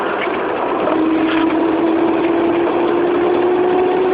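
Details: 1994 Proton Saga 1.5L manual accelerating: thin, steady whirring tone creeping slightly upward over a rough engine note; whine under acceleration, cause undetermined.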